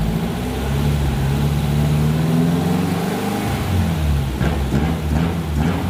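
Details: Fuel-injected air-cooled VW Beetle with four TBIs, after fixing a false air leak at the intake manifold base and equalizing all four throttles to open together: a steady, even idle with a slight blip and no hunting. Normal.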